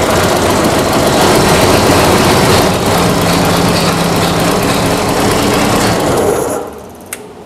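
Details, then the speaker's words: Boat inboard carburetted engine after carburetor replacement, run in garage with fuel pump on: strong, even running with steady rapid beat for six seconds then shut off, later ran over half an hour; clogged-carburetor issue fixed. "okay okay it's been running for over a half an hour now"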